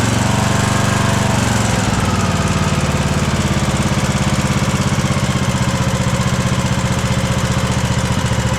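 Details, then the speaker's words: Craftsman DLT3000 lawn tractor small single-cylinder engine after swapping in a cleaned Walbro carburetor, before valve adjustment: steady, even idle with a soft valve tick and no stumbles; normal healthy idle after fixing backfiring and surging. "Finally a good idle. We got it."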